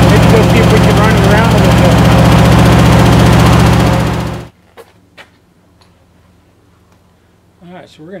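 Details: 1972 International Scout II first start after five or six years sitting: strong, regular firing pulses about four per second for a few seconds, then shuts off; runs evenly, no obvious knock; normal running.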